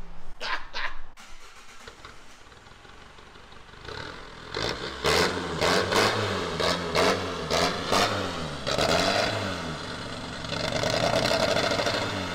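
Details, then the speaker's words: Astra van diesel with manual injection pump: catches and revs unevenly, rough and surging, then sags and cuts out when revved; pump adjustment screw wound in too far by previous owner, being reset. "so with it being a a manual pump it's got a screw on the pump so what we're doing now is just getting it set in the right position because whoever had it before us had wounded right into it was all refueling"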